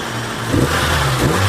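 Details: Samsung Korean car with hard starting and lack of power, after fuel pump replaced and adjustment: engine picks up cleanly and pulls smoothly with steady even note, no misfire or stumble; normal revving.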